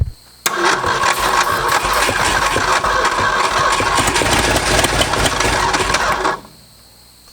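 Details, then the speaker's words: Late-60s Ford F-250, first start after 26 years, throttle held wide open, old gas in the bowls: cranks and catches, runs ragged and uneven several seconds, then dies, as if on only some cylinders; cause suspected, not confirmed; misfire. "all right that was a massive firewall I'll do it again yeah"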